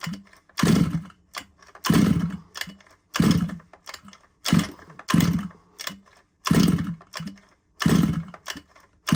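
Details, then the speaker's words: Small engine on an RC car from a used job lot, pull-started after the plug was cleaned and a good spark confirmed. Repeated pull bursts; the engine coughs and catches briefly but never keeps running. It should start within a couple of pulls: hard starting. "it's definitely trying it should really start you know within a couple of poles um if you don't then you know there's there's an issue"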